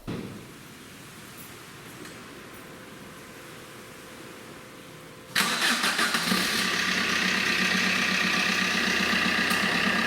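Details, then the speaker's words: 2008 Fiat Panda 4x4 with a 1.3 Multijet diesel, started after a thermostat replacement while the coolant bleeds through, before warming up: it cranks and fires at five seconds, then settles into a steady, even idle clatter with no misses. It runs normally. "so the engine's running okay uh i'm going to leave it for about 15 minutes let it get up to temperature and then i will report back"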